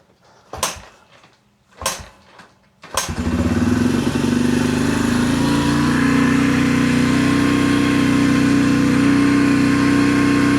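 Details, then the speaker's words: 2004 Yamaha TTR125L after carburetor clean and rebuild, first start cold on choke: a few kicks, catches and settles into steady even single-cylinder idle; very cold-blooded bike, mixture and idle screws may still need adjusting. "The bike is very very very very cold bloodooded. Let it warm up for a bit."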